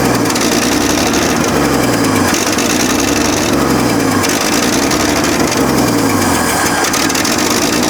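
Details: Abandoned 1965 Chevrolet C10, 292 inline-six with 3-speed manual, idling at its first start on a makeshift tank after a canned carb rebuild: a sharp ticking puff rides every exhaust pulse, an exhaust manifold leak loud enough to mask other noises.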